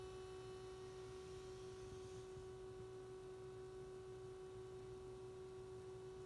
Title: SDS200 At Menu Screen with Humming Noise